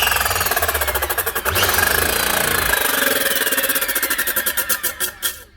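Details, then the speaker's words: Nearly new 4.5" or 9" angle grinder in for repair. Harsh rattling grind with a fast uneven pulse as it spins up and runs down; something sheared inside, the motor starts before the blade spins and the blade is not driven. "something sheared on side the blades actually not been driven by the motor she's just getting a little bit of a spin but you can see the motor starting before the blade spins so there's something going on there"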